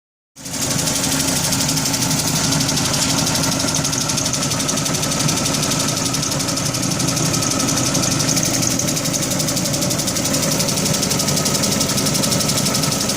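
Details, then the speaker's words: 2005 Dodge Neon about 200 km after head, manifold and intake gaskets were replaced: fast, sharp ticking about four per second at idle. Owner suspects a stuck lifter, blown manifold gasket or broken manifold bolt. "so it changed the head gasket and manifold gasket and intake gasket and about 200 kilometers on it and now she's making a real bad ticking noise don't know if it's a lifter stock a little bit of dirt maybe I blew the manifold gasket or broke a bolt putting the manifold back on"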